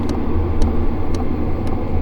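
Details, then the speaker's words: H-Calory Toolbox 2S diesel heater dropped to its lowest setting, drawing just over 10 W and still giving strong heat: the fuel pump ticks more slowly, about twice a second, over a steady low blower rumble. Healthy operation. "After the blower settles in, I drop it down to its lowest setting, and you can hear the frequency of the pump come down."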